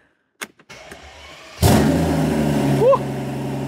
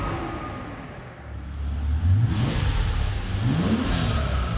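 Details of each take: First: Mercedes CL65 AMG V12, exhaust removed and started with open turbos before bolting the exhaust back on; cranks, catches and revs with a raw, hollow roar and rising turbo whoosh, owner says it sounds bad; turbos confirmed spinning and working. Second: Mercedes CL65 AMG V12 with hybrid turbos, larger injectors and ported heads, after a new tune and with the exhaust refitted, free-revving in park or neutral; repeated clean revs with crisp turbo whoosh, no misfire or rattle, revs higher under the new tune; normal.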